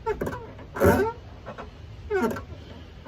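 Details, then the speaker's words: Truck door hinge, worn from heavy use with metal rubbing on metal, squeals in short, wavering creaks each time the door swings, before lubrication. "this can be one of the trickiest ones to get to stop from squeaking but you'll get to hear it here"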